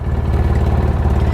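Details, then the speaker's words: Polaris Ranger UTV that was getting hard to start, after swapping a 200 cranking-amp battery for a 385 cranking-amp one: strong steady low idle chug with even beat, no stumbling; starts easily and idles normally, charging system reads 14.3 V. "oh yes yes boy I like the way that fires up nobody will get stranded now down the road"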